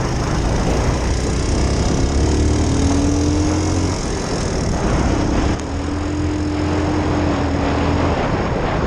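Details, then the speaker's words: 2001 Suzuki Savage motorcycle, newly rewired and running, idling in neutral: a relaxed single-cylinder thump, slightly uneven like a lawnmower, with a hum wandering in pitch; runs fine, normal idle. "sounds like a lawnmower almost. It's really nice, to tell you the truth."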